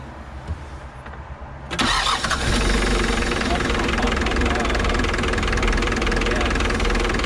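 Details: 1990 Mitsubishi Delica L300 right after starter replacement: brief crank, engine catches at once and settles into steady, even idle with no misses or knocks; healthy start.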